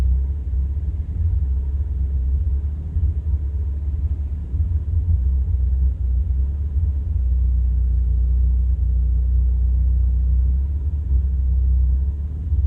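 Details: 1985 Toyota Celica 22RE-C at idle, recorded at a gas station with doors and windows closed: deep uneven rumble swelling and dipping irregularly; rough idle.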